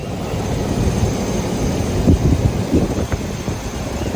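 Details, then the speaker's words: Land Rover Discovery 1 3.9 V8 fired up after fitting new spark plug wires, checking for misfires: steady even low rumble with no missing pulses, snapping or crackle; normal idle on all cylinders. "So I'm gonna fire it up and make sure that I don't have any misfires."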